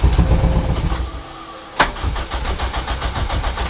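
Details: Starter cranks a four-cylinder engine during a compression test with evenly spaced, equal compression pulses and no weak beats; the third cylinder reads 150 psi, within the same range as the first two, so compression is healthy.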